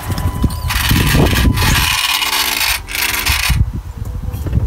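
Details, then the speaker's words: 2011 Skoda Superb Mk II 2.0 TDI diesel (engine code CFFB, automatic), EGR warning light and fault P0403: rough rasping and buzzing from the faulty EGR valve, also occurring while driving; valve replaced. "Oh, there we go. So that noise is the EGR valve. And he's doing it when he's driving the car as well."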